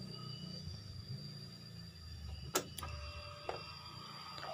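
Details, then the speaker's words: Honda Beat injection scooter fuel pump that wouldn't run: after grounding the pump's ground wire to body/battery negative, key-on gives a steady high priming hum; fault was the ECU lacking ground. "Ini full pumpnya langsung mendengung."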